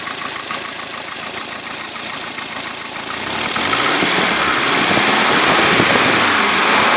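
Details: First start of a freshly built Renault Dauphine 1093-replica engine for a Renault 4, 904 cc, reground camshaft, domed pistons, balanced, modified head: catches in about three seconds, loud even beat, no knocks. Normal running.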